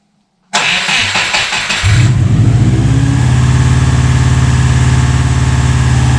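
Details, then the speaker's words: Subaru with freshly built engine that initially wouldn't idle and had a metallic top-end knock, run on a boost pack with airflow meter disconnected: cranks, fires, flares, then holds an uneven, lumpy, wandering idle; rough running, needs new airflow meter. "because in its current state, with the airflow disconnected, it will more or less run."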